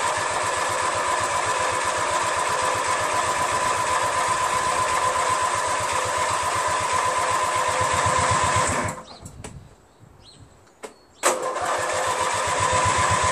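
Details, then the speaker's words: Craftsman DYT4000 tractor repowered with a 14 hp Briggs twin: starter churns at about four even pulses a second but never catches. Owner had turned the fuel shut-off valve off by mistake, so no fuel; the cranking drained the battery. "so I had the fuel shut off off I turned it off thinking that I was turning it on anyway"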